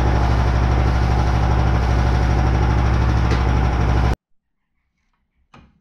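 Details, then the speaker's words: Engine-driven machine with newly aligned pulleys for a poly-V belt at working revs, heavy shaking drone; strong vibration, which knocked off the muffler, later traced to an angle piece warped by welding. "Поэтому у него и глушак-то отвалился. Очень все сильно вибрирует."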